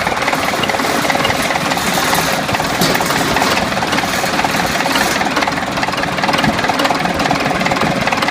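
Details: DT-75 crawler tractor diesel engine: heavy clatter with a repeating knock, roughly two or three per second, running steadily under the engine noise. Engine knock, cause unknown.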